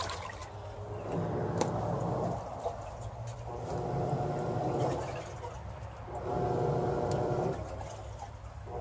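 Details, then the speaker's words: Samsung WA40J3000AW/A2 top-load washer after grinding-noise repair, agitating with a load of water and lid switch bypassed: smooth even sloshing over low motor hum, chattering gone. "and that's what it's supposed to sound like when it's agitating all the chattering noise is gone"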